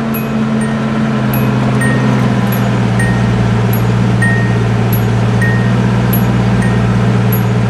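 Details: Nissan 280ZX, warm day, after replacing the oil breather hose and air duct hoses; steady, even low engine hum at smooth idle with no misses or ticking, light chime pinging regularly; sounds quite a bit better, healthy idle.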